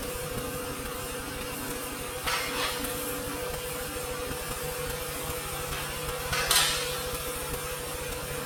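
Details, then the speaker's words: Honda Civic EF at idle with hood open, during work to fix motor rock: steady idle hum with two brief sharp squeaks a few seconds apart as the engine rocks back; the alternator is suspected of hitting when the motor rocks. "well hopefully you guys can pick that up on the camera but I could kind of see it looking over the dash now the Hood's open I could see whenever it does make that squeaking sound the motor is rocking back"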